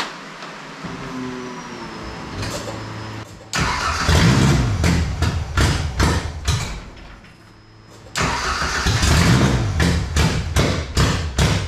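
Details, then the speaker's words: Ford Pinto wagon with swapped 2.3 EFI engine, open exhaust, first start: uneven, lumpy idle with popping exhaust pulses that stumble and surge, smoking; rough running, cause unknown. "I don't know why it runs so weird and brappy it smokes too"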